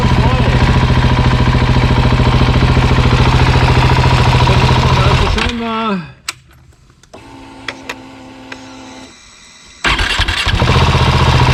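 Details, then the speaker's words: Husqvarna 701 Enduro Euro5 single, rebuilt with new cam chain tensioner, hot: idling evenly, shut off, restarted hot and settled straight back with no chain rattle; normal warm start. "also auch im Warm Zustand kein Klappern jetzt ist der Motor natürlich wieder Flatsch neu komplett einmal neu gemacht mit neuem Steuerkettenspanner"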